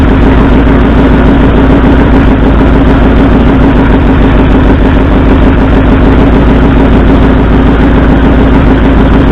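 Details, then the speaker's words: 1964 Ford F100 V8 idle lopes and stumbles while plug wires are pulled one at a time; driver-side front and passenger-side second cylinders show no RPM drop, two cylinders dead, cause unconfirmed. "Alright, so what we found, this cylinder here, driver's side, the front one, had no response when I pulled the plug wire, and the second cylinder back on the passenger side, also no RPM change. So it appears we have two cylinders that aren't firing."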